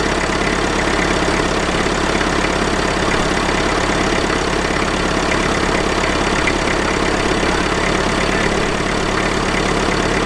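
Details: IMT 560 tractor diesel after a temporary electronic fuel pump install, with pump pressure about 3.5–4 psi. Even diesel clatter at idle, about three to four beats a second, with no stumbling. Healthy idle.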